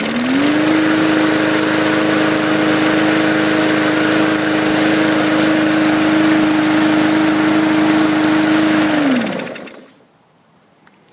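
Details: 2018 Hyper Tough mower, 300E series 125cc 4.5 HP engine: steady even single-cylinder drone about nine seconds, then winds down cleanly; runs properly after fixing safety bar cable not opening linkage that grounded the coil.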